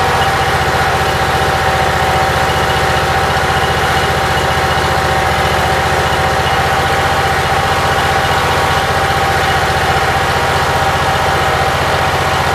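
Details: Briggs & Stratton Vanguard petrol engine with Briggs carburetor, cold, run only 5–10 minutes after rewiring, about 50°F outside; steady even idle with clean hum, no misses or knocks, battery voltage 12.53 rising to about 13.3–14 as the regulator kicks in; normal idle.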